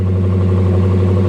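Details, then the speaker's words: Salvage-auction V8 car at Copart listed as non-runner, possibly with a custom exhaust: deep, steady burble at idle with even, unbroken firing and no knocks or misses; runs very well, normal V8 idle. "almost as good as my camaro very interesting guys it's listed as a non-runner but she runs very well"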